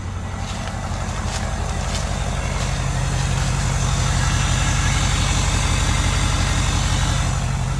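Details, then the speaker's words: 2016 Ford 6.7 Power Stroke diesel, started with new batteries and loose terminals, heard near the disconnected downpipe: steady low diesel clatter at idle with an open, chuffing exhaust note: exhaust leak at disconnected downpipe. "it's got a little bit of an exhaust leak so it's not too loud back here"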